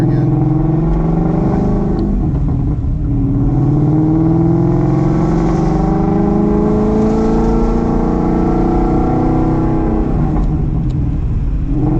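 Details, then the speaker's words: Steeda Tri-Ax short-throw shifter with added insulator to cut NVH, test drive windows up at about 2500 rpm: engine pulls steadily with smoothly rising tone, no shifter buzz or rattle; cabin quiet, normal. "windows up as you can hear it's beautiful and about engine sound we'll get to ours up we're about 2500. I got no NPH going on right now zero"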